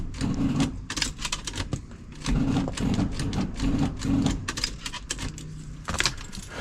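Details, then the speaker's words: 1977 Ford LTD station wagon on a hot day of about 90°F. Rapid rattling clatter in uneven bursts with the key held and no cranking rhythm: starter chattering, no crank. The owner lacks battery cables to hand; cause unconfirmed. "well it's trying to do something unfortunately I don't have any uh battery cables handy right now so might have to postpone this video a little bit"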